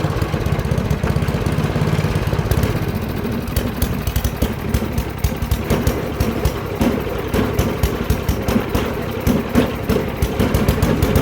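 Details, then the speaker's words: MTD 24-inch snowblower with 8 hp Tecumseh engine after fresh gas, dirty carburetor the owner thinks isn't savable: fast, steady popping, fairly even with slight roughness, runs pretty good; normal running. "all right you guys so that's gonna do it for this video thanks for watching this thing runs pretty good"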